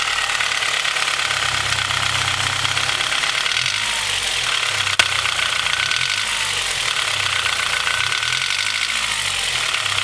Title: Mahle Gold Series H22 engine piston slap (cold engine)